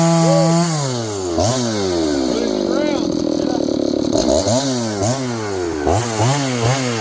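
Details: John Deere CS81 chainsaw cutting wood after revival: revs rise and fall cleanly, each throttle blip picking up and dropping back without stumbling; carburetor okay, burning black off a dried-up muffler, running strong.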